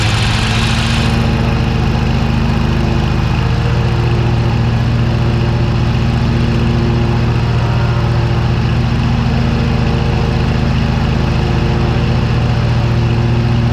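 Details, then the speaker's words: Cub Cadet GTX 2100 lawn tractor with front-drive PTO, after replacing the broken PTO belt; steady low engine drone at constant speed with even deck hum, no slipping or squeal; blades heard turning; normal running with blades engaged. "so it sounded like she's doing okay but because this has a pressure pressure sensitive switch that turns the PTO ie the blades off if the rider is not sitting on their I can't really see if the blades are if the belt is working properly but I can hear the blades turning"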